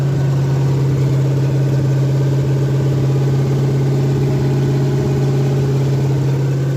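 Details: Ford F100 302 V8 with Comp 268H cam at fast break-in idle: loud, steady, deep idle, smooth and even, no ticking or knocking; normal fast idle, though oil looks slightly milky.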